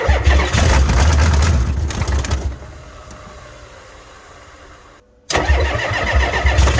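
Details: Ford F350 7.3 IDI diesel at about 15°F, weak batteries on charger booster, owner suspects not all glow plugs work: hard cranking, brief near-catch that dies, then cranks again without starting.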